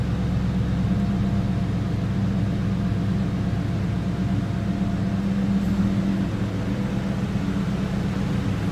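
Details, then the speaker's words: 2001 Ford Mustang GT Bullitt V8 with 15,016 miles, just started, at idle with no warning lights: deep, steady burble with an even low rumble and no knocks or ticks, a normal healthy idle. "Nice sounding car too. Just take a listen."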